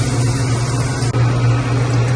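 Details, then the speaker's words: Ice machine after repair with new float switch, compressor just started: steady low compressor hum, smooth even tone, pump no longer whining as it did before; normal running. "And it's much quieter. Yeah, the pump was whining like crazy before."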